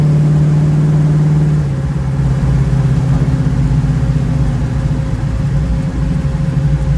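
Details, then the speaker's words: 1936 Chevy coupe with SBC 350 V8 and TH350 transmission, driven at steady speed; drone drops as it shifts into third, then holds a busy high-revving hum; owner suspects a gearing problem, unconfirmed; high engine rpm at cruise. "let's face it you can tell you can hear it's going into third but it seems to be revving really high"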